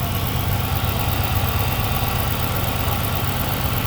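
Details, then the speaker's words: 2006 Chrysler 300 SRT8 V8 with 71,000 miles, just started after an intake manifold gasket replacement for a suspected intake leak causing cold-start vibration. It fired right up with no hesitation: deep, even, steady idle. Normal; the owner notes the power steering pump may need replacing. "Fired right up, man. No weird hesitation or nothing."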